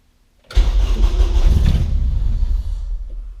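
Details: 1994 Honda Civic EG K20-swapped time-attack race car, first start after sitting, fuel line leak fixed: short crank, then engine catches cleanly, revs up and settles smoothly with no stumble or misfire; no fuel leaks, fuel pressure good.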